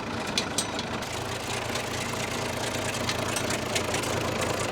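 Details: Freshly overhauled Allis Chalmers 210 tractor diesel at low idle on first start before break-in, still cold with 58° water temperature and 34 psi oil pressure: slow, steady, evenly firing clatter with no heavy knock or miss; healthy.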